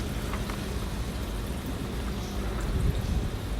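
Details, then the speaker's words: Aquaone MiniReef 150 aquarium sump after a drain-pipe mod adding filter material, test-running fresh water before salt: soft steady low rush of water into the sump with faint trickling, no loud splashing or gurgle, far quieter than before. "quiet indeed here's a deer so standpipe water flows into the return pipes here also like I said I'm only running arrow water in the tank at the moment to test the plumbing before I add salt and stock it up and as you can hear it's pretty silent setup"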